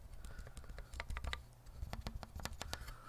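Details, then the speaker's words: Monstargear K80 keyboard with lubed Cherry screw-in stabilizers: repeated key taps with a clean clack on one side and a dry scratchy rasp on the other. The scratching is suspected to come from uneven stabilizer screw-in. "you hear scratch and it sounds clean on the other side scratch clean clean so the what i think is the screwing is uneven"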